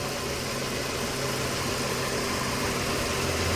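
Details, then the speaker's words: Four-cylinder Mercedes-Benz (W204/W212) petrol engine at idle running on three cylinders, shaking badly, with an uneven, lumpy, stumbling beat; the scan shows an ignition coil actuation fault on cylinder 4, circuit to ground. Engine misfire at idle, no pickup. "यह देखो काफी missing है तो इसके लिए सबसे पहले तो मैं स्कैन करूंगा और स्कैन करके चेक करता हूं इसमें फल कोट क्या बन रहा है"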